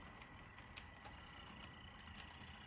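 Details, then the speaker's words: Dapol class 59 model loco at slow speed: quiet gritty whirr with faint scattered clicks and squeaking; noisy drivetrain. "This ARC1, Village of Mells, as you can see and you can hear, it's very squeaky. A lot of noise coming from the drivetrain."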